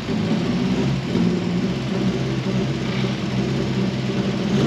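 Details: Mk1 Ford Fiesta S after a Zetec engine swap, on its first drive once the swapped idle control valve and injector plugs were corrected to stop over-fuelling and ticking: even, smooth engine note, steady low rumble, no ticking or stumble pulling away; healthy.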